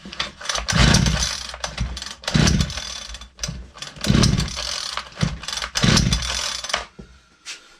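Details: Ryobi LT2 two-stroke petrol trimmer that stopped firing after a tank refill, primed and run with no air filter and choke off: four short bursts, each catching, revving briefly and dying; fires but won't keep running.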